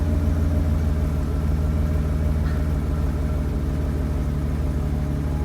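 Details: BMW 750 E32 with M70 V12 at idle: uneven, loping pulse about three beats a second; plugs, distributors, caps and one MAF replaced, plugs wet and sooty, owner suspects running rich; cause unknown.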